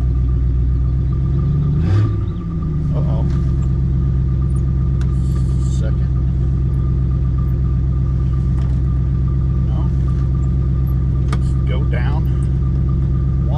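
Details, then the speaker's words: 1967 Ford Country Sedan wagon, sat 30 years, idling: steady low idle with no load change when drive is selected, reverse works but no forward gears; owner suspects low transmission fluid. "oh seems like we don't have no it's like we don't have any forward gears"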